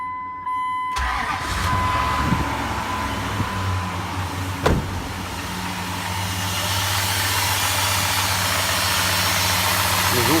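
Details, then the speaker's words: Dodge Durango 4.7 engine cold: cranks, catches and settles into idle with an uneven tapping knock over the running note, coming from the middle cylinders; nearly inaudible when hot; engine knock at idle. "с центральных цилиндров идет. Отсюда. А это звук на холодную. На горячего практически не слышно."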